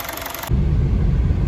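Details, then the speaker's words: Honda City on CNG that shook only when stopped in gear, after repair: short clatter then a low, even idle rumble with no misses, shakes or knocks; owner confirms the symptom is gone. "ตอนนี้เราแก้ไขกันเรียบร้อยมาเทรถแล้วเป็นไงบ้างครับลูกค้าหายแล้วครับตอนจอดหายแล้วเนาะครับหายโอเคอาการที่บอกมาหายแล้ว"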